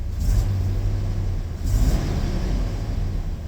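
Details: Chevy square-body dually crew cab 454 V8 after O2 sensor replacement and battery reset, driving: deep steady rumble swelling cleanly on kick-down, no stumble or bog seen before; idle slightly high, no black smoke now. Smooth acceleration.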